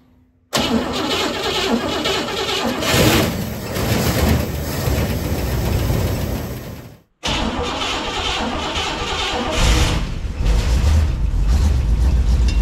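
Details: 1957 Pontiac Star Chief engine, unstarted for at least 10 years, run off a drip tank feeding the fuel filter because the fuel pump seemed dry: fires quickly, runs unevenly, dies, then catches again, blowing mouse nest from the exhaust.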